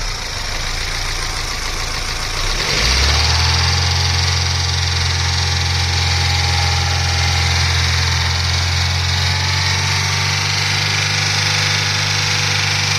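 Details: Daewoo Lanos 1.5 SOHC: engine catches and settles into steady idle with a hollow low drone and faint rhythmic tapping over it; engine noise or damage suspected, cause not confirmed.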